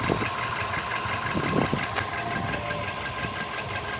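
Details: Volkswagen Polo Sedan engine knock at idle: uneven knocking over a steady idle with sharper knocks every fraction of a second; source not identified.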